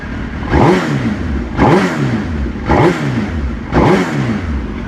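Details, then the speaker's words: Suzuki GSX-R K2 race bike project, first start after fitting a new gel battery: four crisp throttle blips, each rising and dropping cleanly back to idle. Normal revving. "there we have it she lives so yeah awesome well please do that sounds really nice actually"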